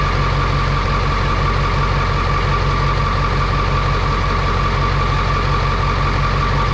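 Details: Truck test-started after transmission and clutch work to cure a noise, with a boot fitted, heard from the cab. Steady, even diesel idle with a deep regular clatter and no knocks, slips or rattles: normal idle.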